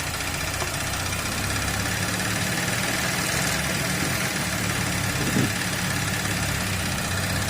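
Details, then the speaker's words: 2012 Audi A7 3.0L supercharged, first start after intake manifold reinstallation: steady, even idle hum with no knocks, misses or hunting; however, vacuum is afterwards found at the dipstick, pointing to a suspected PCV fault. "let's see what happens sounds okay i think we're good"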